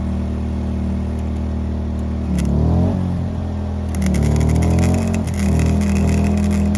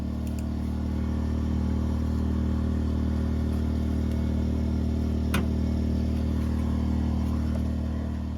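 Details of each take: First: WEN 2000-watt inverter generator running an older 90 A flux welder: steady engine drone, then pitch sags and wavers as the generator overload trips, the engine idles down and the welder stops. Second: 2000-watt WEN inverter generator powering a 90-amp flux-core MIG welder with wire feed turned down to between 1 and 2: a steady, even low hum holds under load without tripping the overload.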